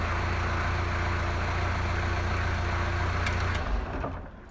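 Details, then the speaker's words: 1983 Toyota BJ42 with a 3B mechanical diesel, weak battery, after an EDIC stop system repair: an even diesel clatter holds for over three seconds, then winds down and stops cleanly when the key is turned off. "There you are, it's running. You can hear it running."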